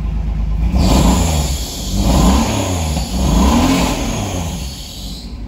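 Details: Pontiac Fiero, warm after a drive following coolant tube work, with oil pressure, temperature and voltage all fine. The engine climbs and falls cleanly through several revs without misses, knocks or rattles; it sounds healthy.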